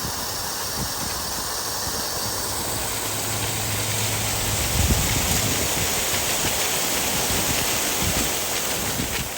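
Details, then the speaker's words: Irrigation line slowly refilling after Toro sprinkler head repair, air let out to avoid bashing joints; even rushing-water hiss with no banging or hammering, no noise heard; normal line refill. "and you hear that no noise yeah cuz we I nice it from there so there water is in okay"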